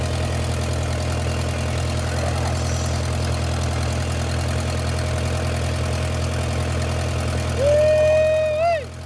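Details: 1959 Case 300 tractor with an updraft carburetor, warm day, idling after its burned-out generator was rebuilt; steady, even low idle with a brief rev rise and whistle. It sounds healthy, and the generator now charges at about 15 V.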